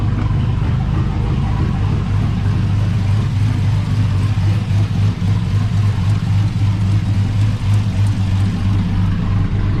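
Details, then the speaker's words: GMC Sierra 5.3 LS V8 (stated as 2005 or 2006) idling on first startup after a broken lifter was fixed with a BTR Truck Norris cam and LS7 lifters, no muffler: loud deep rumble with slight choppy lope, no ticking or knocking; healthy. "moves because that's too quiet even without a muffler. I can't wait to hear what it sounds like without a, or with a tune."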